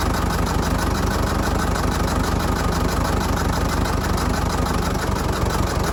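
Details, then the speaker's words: Fordson Major diesel tractor, sat 20 years, recently revived, air intake off, just restarted with water in radiator: loud lumpy idle a bit over once a second, uneven; owner suspects a dead cylinder or just intake noise, unconfirmed. "might be down a cylinder no it might not be could just be because i got the air intake off the top of it could be just hearing and sucking in"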